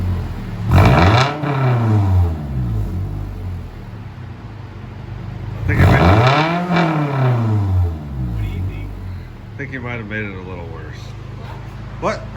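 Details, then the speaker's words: 2015 Scion tC, stock exhaust except DIY rear muffler delete, no tip yet; two quick blips with loud buzzy rasp over idle, louder than before, louder when revved and quieter at idle. "It's a little on the raspy side. It's pretty It's louder than what it was. It's louder when you rev it. It's quieter when it's not."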